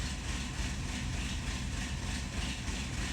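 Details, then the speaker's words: Chevrolet Malibu with P0016/P0017 cam-crank correlation codes, running with a lumpy, uneven idle of irregular low thumps and stumbles; cam solenoids measure 13.3 and about 12 ohms, oil very dirty: rough running. "i have the car running right now you can probably hear that it still sounds like crap and the song nodes still say the same exact"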